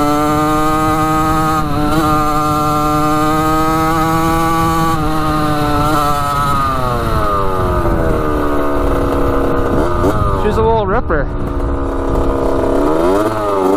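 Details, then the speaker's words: 1985 Yamaha YZ80 two-stroke dirt bike after a rebuild, warm, ridden: a crisp buzz climbs and drops cleanly with the throttle, no bogging or misses. The silencer is not working too well, but it is ripping good. Normal running. "sounds so good yeah she's sounding pretty good that's crazy obviously the silencer is not really working too great but uh yeah she's ripping good"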